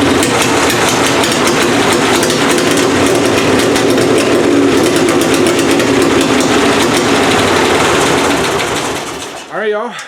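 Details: Plan B pulling engine at first fire-up of the season after head gasket annealed and installed, idle turned up, timing adjusted: loud, crisp, even firing at fast steady idle, no misses or knocks; gasket appears sealed, carburetor still needs tweaking.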